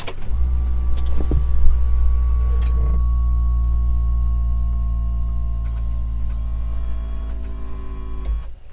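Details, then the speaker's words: Ferrari F430 F1 gearbox hydraulic pump priming at key-on, engine off: low, steady whine that almost sounds like a dying battery, taking about 8–10 seconds to prime, too slow; cause suspected, not confirmed. "And you can hear that the whine pitch of it is very low. It almost sounds like the battery's dying."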